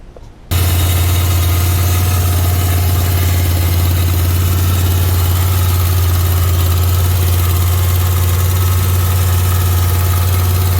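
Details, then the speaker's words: 1991 Chevy Silverado 1500 (GMT400) 350 V8 converted to carburetor, first start after new cam bearings, new gaskets, lash set and carb adjusted: catches at once, smooth even low idle, steady hum, no tapping or knocking; the earlier noise is gone. "set my lash and three adjust the carburetor see if it fires up hopefully that noise is gone"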